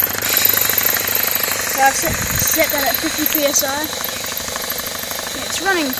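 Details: Homemade belt-driven compressor on 240 V switch, belt refitted but still under-tensioned, new intake line and filter: quick even pumping beat with light metallic clatter; running smoothly.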